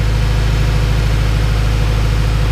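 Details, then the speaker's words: Honda B-series VTEC engine (98 spec Integra Type R) warming up after replacing valve stem seals and lost motion assemblies: smooth, even low idle hum with no ticking or tapping; valvetrain quiet and healthy. "all right guys so I'm gonna let the car warm up for a little bit sure everything's fine it's actually nice and quiet now I don't hear a lot of ticking from the engine"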